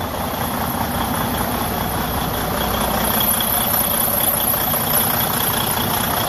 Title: Freightliner cascadia DD15 engine high blowby compression leak broken cracked cylinder liner